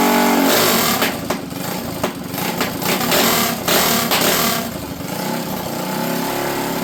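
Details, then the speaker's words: Custom Predator minibike small single after a no-start: it runs with a fast, uneven popping beat and rattly chatter while fuel dumps out; float issue suspected (stuck float or faulty needle valve), carb needs adjustment. "so it appears got a float issue here fuel is just dumping out of the tank I'll shut it off now she should stop"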